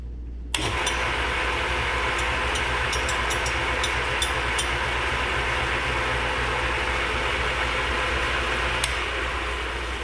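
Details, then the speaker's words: Atlas 10F lathe with QC42 quick-change gearbox, worn gearbox before bushing replacement: in neutral with no gears engaged it runs reasonably quiet, a fairly even hum and light steady whir with no knocking; normal running in neutral. "So when I put it in neutral, it's reasonably quiet,"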